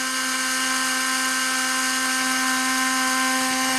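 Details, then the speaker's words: Canon Sure Shot 35mm film camera, checked before sale: motorized rewind at end of roll, a steady, even high-pitched whir with no catches until a short click as the film breaks free; rewind motor working normally. "And now we see it's winding the film back past 1, back to S, and then we'll hear it break free."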